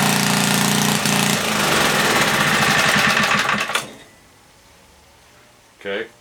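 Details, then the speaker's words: 1976 Tilly rototiller with a 3hp Briggs & Stratton, not run for years: harsh, very loud rapid popping through the muffler for about four seconds, then it abruptly cuts out; lost spark suspected, later no spark found, points likely. "okay i don't know good lost spark i'll tell you that muffler is damn loud i know there is oil in it"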